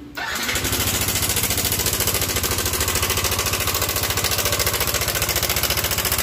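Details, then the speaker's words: Yamaha Nmax scooter, side deck removed, starts and idles with a fast, rough clattering knock for several days; oil reportedly changed; cam chain tensioner broke inside, plunger no longer pushes, slack cam chain rattles. "ini yang terjadi adalah akhir-akhir tensionernya sudah patah atau sudah putus di dalam jadi stutnya ini sudah tidak bisa menekan lagi alhasil tensionernya longgar jadi kampretnya dia ikut longgar dan menyebabkan bunyi yang kasar seperti itu"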